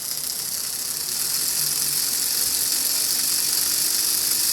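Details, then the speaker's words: Rebuilt 1980s Bachmann HO scale U36B pancake motor running out of its shell after the cracked gear was cleaned and excess grease removed. An even high-pitched whir with only faint light ticking and no heavy rattle; the gear drive runs normally. "ain't bad at all. That's much quieter."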